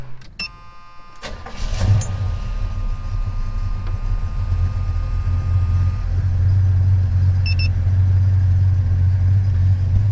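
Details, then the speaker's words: 1977 Chevy C10 V8 with Edelbrock carburetor idling smoothly at about 850–900 rpm with a steady, even rumble and no misses or surges; healthy idle after the intermittent bad idle was fixed. "as you can see right now we've pretty much got a perfect Idol at about 850 900 rpm"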